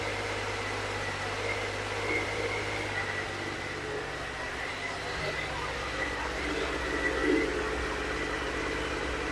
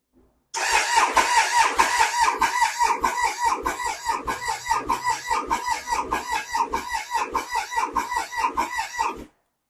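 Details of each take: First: Triumph Sprint 955i that sat unused for years, after the fuel pump began delivering and the fault codes were cleared: the engine runs at a steady, even hum with a light whir and no misses or knocks. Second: Triumph Sprint 955i, 28,294 on the odometer, left sitting for years: starter churns in steady pulses with no firing; fuel pump not heard priming, likely no fuel delivered, tank to be removed for inspection.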